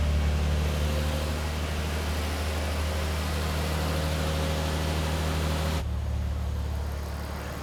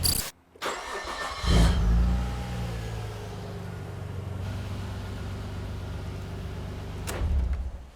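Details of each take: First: 1998 Nissan R34 Skyline GTR (automatic), after IACV cleaning and new TPS calibrated to 0.51 (spec 0.45–0.55): smooth, even low hum at about 750–800 rpm idle with no hunting or surging; high idle fixed. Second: 1998 Nissan R34 Skyline GTR with IACV connector unplugged after IACV cleaning, before TPS replacement: catches with short rev, settles to lower, slightly uneven deep idle; improved but base idle not perfect, new IACV gaskets planned.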